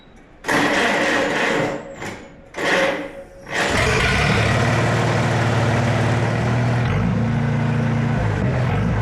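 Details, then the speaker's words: Farmall Super A tractor after the governor spring, bounced out of its cup, was reseated: cranks a few times, catches, then runs steadily at constant speed with no hunting or surging; the earlier surge is gone. "So, and you could hear that. That sounded normal, you know what I mean? It did not sound normal when it came. It had that surge to it."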